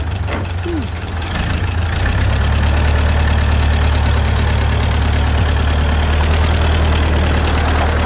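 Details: 1931 Ford Model A, flathead four, 200.5 cu in, about 4.5:1 compression, just revived after 65+ years stored; low, steady idle with even soft beat, no knocks or misses; running smooth and healthy.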